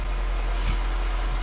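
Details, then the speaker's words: Nissan Versa/Sentra four-cylinder after intake manifold gasket, spark plug and coil pack replacement: smooth steady cold fast idle around 1500 rpm that is slowly coming down, no hissing, air leak or misfire sounds. "But it sounds great. Very smooth sounding idle. I don't hear any issues with it at the moment. I don't hear any like hissing or air leak sounds."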